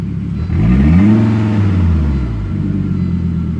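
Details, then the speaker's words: 1998 Volvo C70, warmed up a little, catalytic converter still on: revs climb and fall with an uneven, lumpy note; not running quite right, cause not found, cat to be removed next. "that's not running quite right but down here so that's that's before the cat comes off"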